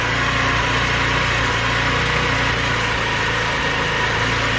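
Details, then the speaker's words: Scooter just after a cold start with a new clutch fitted: steady, slightly ragged high idle with no knocks or misses as the enricher comes on; normal enricher fast idle. "all right see if i can start it now without uh needing to do anything crazy like give it gas there the enricher just came on so the backfire should spin"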